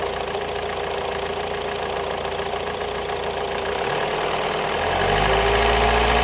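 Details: Opel Astra J 1.7 CDTI diesel, one week after purchase from a dealer: fast, regular light ticking of about three or four per second over the idle, rising as revs lift slightly. Engine ticking.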